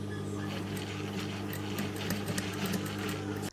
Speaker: so when you put on the clutch moto machine it has this [Music] it has that sound that it makes